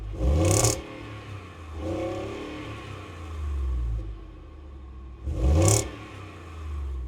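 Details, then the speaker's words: Full-size V8 truck, heard at the rear exhaust pipe: two quick rev blips climb and fall with a deep, muffled rumble and slight rasp. From the cab it sounded like a heavily muffled Gen 3 Coyote. Normal, healthy exhaust note. "From the cab, it sounded like a very heavily muffled Gen 3 coyote. What about it back here? >> A little raspy. I like it."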